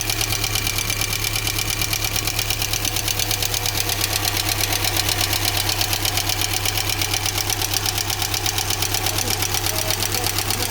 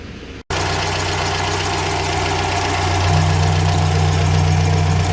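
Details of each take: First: GAZelle Business with UMZ-4216 petrol engine, 140,000 km, idling: loud, fast, even metallic valve ticking; almost no oil reaching the rocker shaft, possibly clogged channels or wrong gasket. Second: GAZelle Business van, UMZ-4216 petrol engine, 140,000 km, after repair: steady, even idle with no valve tapping after replacing the rocker arm shaft, restoring oil supply, and adjusting four valves.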